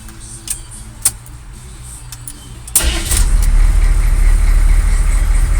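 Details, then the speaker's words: 1986 US Army truck on 37-inch Humvee tires with about 4-inch lift; the starter clicks, then the engine catches at once and settles into a deep, steady, even rumble, a normal healthy cold start. "Oh, and by the way, this thing actually fires up, unlike most people think. Because everybody thinks that my 1986 United States Army truck doesn't fire up at all."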